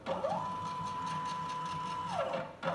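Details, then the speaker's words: Small DIY CNC router, Arduino with CNC shield, X axis stepper at speed setting 1500: smooth whine rising, holding steady pitch, winding down; slight vibration noise attributed to a bearing, otherwise normal stepper motion. "o ruído do motor tá vendo fica tá com a vibração Zinho Esse daí é do rolamento ali"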